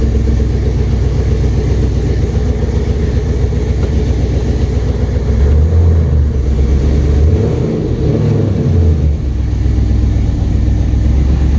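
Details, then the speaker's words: First start with base tune, on a hoist, two exhaust clamps missing: rough, uneven idle with irregular knock and puffing leak; torque converter bolt hitting plus leaking exhaust manifold, fixed by changing the bolt and a new header gasket. "Manifold leaking, that's nice. Sounds like torque converter bolt hitting."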